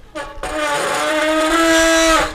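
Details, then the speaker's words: Five-year-old, barely ridden mountain bike with nearly new pads: loud steady disc brake howl of about two seconds while braking, from pads vibrating against the disc. "вы купили себе велосипед горный и с тормозами вот такими вот диска вами да и или же сразу или же немного попозже у вас возникла такая проблемка такие вот звуки"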